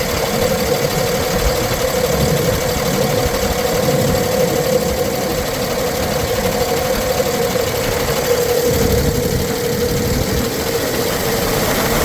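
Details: 2009 Freightliner M2 bucket/chipper truck, Cummins 6.7L turbo diesel, 24,000 documented miles, recently serviced: steady diesel clatter at idle, even beat, constant mid-pitch tone, nothing irregular; healthy idle.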